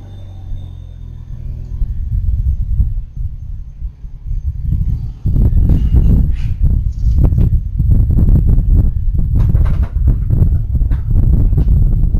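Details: Deep, uneven low rumble with loose thumping, a few beats a second, from the rear axle during a rear LSD noise check; source of the differential noise unconfirmed.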